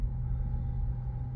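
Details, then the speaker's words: 2012 third-gen Honda CR-V K24, about 47,051 on the odometer, after the actuator gear was replaced with an online China part for a noise at morning cold starts: smooth, steady low idle just after cold start, no rattle. "start muna tayo oh ako wala akong naramdaman Eh siguro dahil doun sa ano doun sa pinalit"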